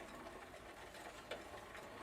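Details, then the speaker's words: Old Phoenix Mentor farm bicycle with replacement drivetrain: quiet rhythmic ticking and scraping as cranks turn; chain far too slack, rubbing the chain case near the crank arms, which needs more tweaking. "can you hear that stupid uh three MPS rubbing against the crank arms I guess that chain case does need a little bit more tweaking"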